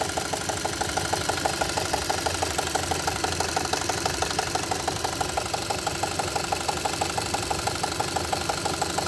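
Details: At idle, a regular light knocking about two per second from inside the engine; engine knock at idle, cause not yet pinned down.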